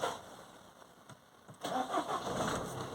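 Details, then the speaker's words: 2014 Citroen C4 Picasso diesel with a history of low fuel pressure and long cranking, after clearing intermittent low fuel pressure fault codes: engine catches almost at once and settles into steady clatter; normal quick start, though fuel pressure readings still erratic and it surges. "Now I started it. It did start straight away."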